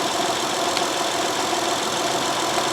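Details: 2012 Honda Odyssey 3.5L, 141,000 miles, codes P0303 and P0420, plugs of unknown age: idle slightly rough with a faint recurring stumble. Moving the plug and coil shifted the misfire to cylinder 4, so the fault is the coil or plug.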